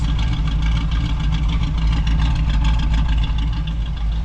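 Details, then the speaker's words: 1967 Camaro V8 revived after six years of neglect, idle brought down, quiet turbo-style mufflers: even steady low rumble with no misses or knocks, good idle, nothing too radical; normal idle. "Sounds good though. It's got a good idle. Nothing too radical."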